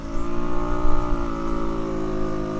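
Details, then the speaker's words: Tao Tao 50cc scooter: fairly even drone that sags and wavers under throttle instead of climbing, bogging but not quitting, also revving high at stops; owner thinks it needs more tuning. "But it's not quitting, it's just bogging."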